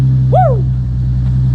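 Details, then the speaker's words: 2003 Nissan 350Z first start in over two years after new ECU fitted to cure crank no-start: brief squeal then steady, even low idle with no misfire or stumble; old ECU was faulty. "that sounds so good oh I'm so stoked right now"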